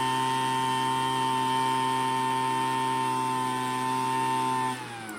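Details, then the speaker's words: Craftsman two-stroke leaf blower after carburetor low and high screws set by ear: steady even high-pitched buzz at full throttle without over-revving, dropping cleanly as throttle eases; normal high-speed running. "Make sure it's not over revving, because of course that will cause problems. But it sounds pretty good."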